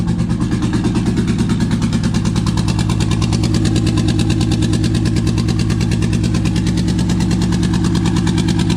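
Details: Toyota 2JZ swapped into a 4Runner with a twin-turbo ECU, first start: fast idle around 1900 rpm with a stumbling, irregular exhaust beat; misfire later traced to injector adapter connectors not making full contact.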